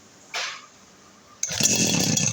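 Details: Two-stroke RBC411 brush cutter that would not start after long disuse: after a brief pull it catches and runs with a high, buzzing rasp.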